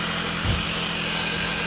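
Steady, even idle with a faint belt and accessory whir on top, no chirp, squeal or knock; sounds healthy.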